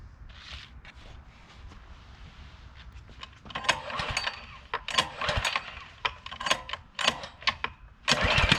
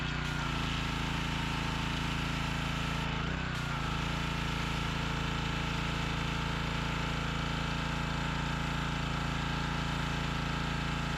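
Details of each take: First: Workforce pressure washer, 163 cc overhead-valve engine, carburetor found dry, choke off, air filter off: repeated rough rope-pull bursts about one per second with no catching; engine will not start. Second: Workforce pressure washer, 163 cc overhead-valve engine, after a no-start repair, on fresh gas with water connected in the high 30s °F: it settles into an even, steady run after a brief stumble near the start. Normal running.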